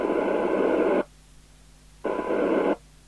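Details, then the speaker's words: Maxcom 30E CB27/81 UK FM CB radio on channel 20 with squelch down, fed from a signal generator, after ceramic filter and MC3357 chip replacement for intermittent deaf receive: hissy tone bursts still heard down to about 0.17 µV, so receive sensitivity is normal. "We can hear it down to about 0.17 of a microvolt, so it's certainly working."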